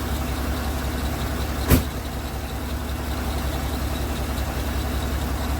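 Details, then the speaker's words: Ford LTD after removal of leaking radiator, coolant topped up, waiting for thermostat to open: steady, even low idle rumble with one brief click; runs smooth and well. "i'm gonna wait till the thermostat opens up and uh then we'll see what ends up happening but uh yeah no she's she's running well"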